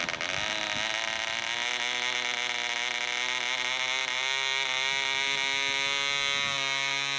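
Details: DC Spitfire 1cc model diesel on an 8x4 prop, D2000 fuel, runs unevenly: high buzzing note wanders and jumps instead of holding steady, as the loose needle valve rotates with vibration and the compression screw winds itself out.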